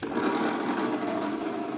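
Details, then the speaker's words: Honda Moove scooter that stumbles, hesitates and is hard to start after being parked; steady starter whir cranking without catching, even with a recently charged battery; kick start also fails. "แต่พอบางทีเราขับไปจอดไว้เฉยๆแล้วพอสตาร์ทใหม่ปรากฏว่าสตาร์ทติดยากนะครับ"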